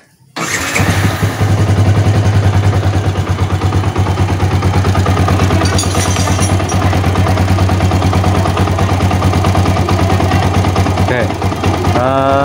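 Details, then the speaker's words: Old Yamaha Vixion, rough clattering noise and power loss when hot: starts and settles into a harsh, clattery idle with a rough tick over every firing, knocking from the cylinder block; worn cylinder bore and piston. "dari Soraya temen-temen ya bicaranya sangat kasar sekali ya"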